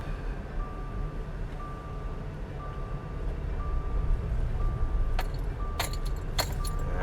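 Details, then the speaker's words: 2015 Subaru Crosstrek on a test drive, owner reports clinking when turning: sharp pops about every half second while turning over road rumble, more on right turns; worn CV axle joint. "I'm gonna head over to my favorite spot for checking axles nothing wrong with the pickup it's good there let's see ah here's some popping"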